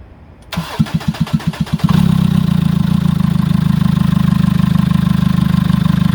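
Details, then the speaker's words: Jeep Liberty CRD diesel, first test fire after top-end rebuild, glow plugs and injectors back in: several cranking beats, then catches and settles into steady even idle clatter with no misses, slightly smoky, no check engine light. "that is the sweet sound of compression ignition a little bit and no check engine light i'm amazed we're good"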